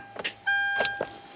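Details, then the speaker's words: 2012 Kia Soul, battery 12.24 V: sharp single clicks over a steady dash chime, no cranking; starter click, no crank. "hear that click that's really intense so we are going to run some tests"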